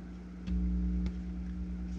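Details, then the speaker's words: Philips HiFi Automatic 406 turntable with the four tone-arm signal leads being touched: a steady low buzz that swells loudly on contact; suspected grounding problem or crossed audio lines, not confirmed. "you hear it it's reacting to me touching it all right so you've got the four leads coming in for our sound and we can touch these and it's going to go freaking bad crazy or it should okay"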